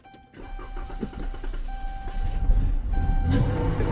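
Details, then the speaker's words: Chrysler 300 that died and won't start, long crank time: slow even cranking, then it catches and runs roughly only on sprayed throttle body cleaner, so fuel isn't reaching the engine; fuel pump problem, power and ground at the pump still to be checked. "Yep. Y'all know what that means. We got a problem with the fuel pump."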